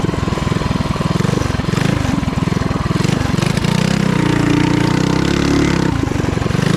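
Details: Trail Master MB200 mini bike, Stage 3 223cc, after swapping rubber engine-cradle bushings for metal ones: small single pulls steadily through throttle changes, even thump, no chain clacking or skipping, which was bad before.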